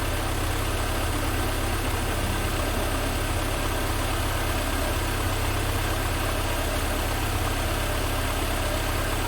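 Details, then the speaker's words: 1988 Mercedes 190E W201 after valve stem seal replacement, running with a fuel pressure gauge fitted to check control pressure; steady, even, smooth low idle with no misses, knocks or ticks. "So let's get this car started, and hopefully it's not going to fail me. So it's running really smoothly."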